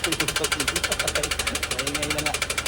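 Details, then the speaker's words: Toyota Wigo after water got into the air cleaner with a poor gasket and was sucked into the engine: hard, regular knocking about ten times a second over the idle; serious bottom-end damage suspected. "An mga boss rinig niyo yung ano yung andar ng Toyota Wigo natin. Napaandar naman pero wala na. Huli na."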